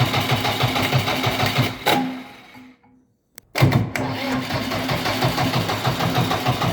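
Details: JCB 444 diesel engine running with an uneven, lumpy chugging beat around three pulses a second; stumbling rhythm indicates an engine misfire.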